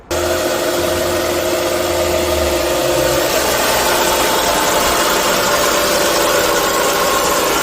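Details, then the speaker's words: 2004 Audi A4 V6 quattro at idle: a loud, steady whirring hum in the engine bay, louder near the alternator. Owner suspects a noisy alternator; unconfirmed. "really loud May more louder over here I think I just spe the alternator okay that's what I think it is"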